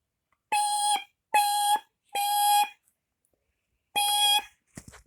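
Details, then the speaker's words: First Alert 9120B ionization smoke alarm made January 25, 2013 on test: four loud, shrill beeps, each about half a second with short gaps, clean and strong. Alarm working. "so um so anyways so this is one of the um later ones this is ionization so let's get a test"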